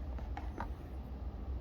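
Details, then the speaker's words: New Gates 38018 tensioner pulley on a 2010 Audi 2.0T, hand-spun off the car, turns nice and quiet with a faint whir and light handling clicks; the old bearing had audible wear. "nice and quiet"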